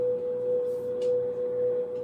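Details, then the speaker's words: Victron MultiPlus-II 48V 5kVA 120V inverters carrying just under 5 kW (water heater plus house): steady, pure mid-pitched hum holding dead even, with faint background hiss. Normal hum under load. "so these inverters actually seem to get louder when the fan is running lightly when the fan opens up it gets quieter so in these lighter loads when the fan kicks on you hear that one"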